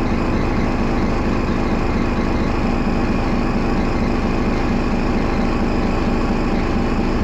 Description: First Manchester Dennis Arrow, which has a bad idle, and also with lots of thrash!